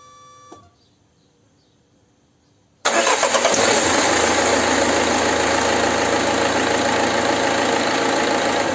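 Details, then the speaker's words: Peugeot 406 2.0 HDI that stalled and wouldn't restart (codes P0190, P0380), after cleaning diesel-soaked connectors from a fuel leak: fires quickly and settles into an even, steady idle clatter with no stumbling; stalling fixed, two fuel pipes still to be replaced. "Pues zanjado el asunto de que el motor se para"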